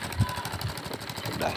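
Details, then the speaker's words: 2008 Yamaha Jupiter Z single-cylinder motorcycle that was hard to start and wouldn't rev: after fitting a replacement block, it idles with a quick, even light beat and no misses or stumbles, running properly again. "Alhamdulillah teman-teman motornya sudah hidup"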